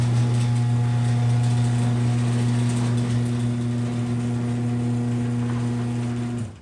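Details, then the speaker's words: Garage door with new nylon rollers, freshly greased, run by the original 2005 AC chain-drive opener; strong steady low motor hum with faint chain slapping about four times a second and carriage running on rails; old opener is main noise. "well as I'm sure you notice most of the noise now comes from the old motor you really hear that AC hum and you kind of hear that chain slapping and you hear kind you hear the carriage kind of coming up and down the rails the door goes up and down"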